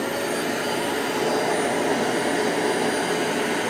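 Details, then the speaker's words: Clean Obsessed CO203 dual-motor upright commercial vacuum, hose connected, suction motors only without brush roll: steady, even rushing roar with smooth high hum, no surging or rattles; normal vacuum motor running. "And uh first I'm going to show you what it sounds like just with uh the suction alone."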